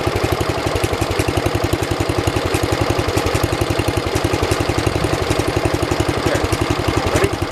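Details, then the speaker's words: 1973 112 tractor, Kohler K301 single-cylinder, after head gasket replacement and valve adjustment (8 and 17), warmed up after about 15 minutes' running, throttled up: fast even beat, about three and a half firings a second, crisp, no misses; normal running. "I'd say it does pretty good."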